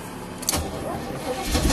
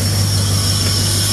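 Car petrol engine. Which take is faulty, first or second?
first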